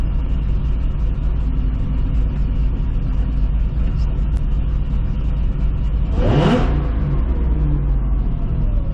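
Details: 2005 Chevrolet Corvette V8 first start after C7 starter and heat shield install; steady deep rumble with one quick clean rev near six seconds, no misfire, ticking or rattle; runs healthy.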